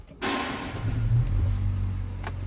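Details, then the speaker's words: MG5 after repair for a misfire (shaking) on the second cylinder, with new spark plugs and new coils: after a brief thump, a low, even idle hum holds steady with no shake or stumble; idle is now ideal. "qaltirash yo'q, idealniy."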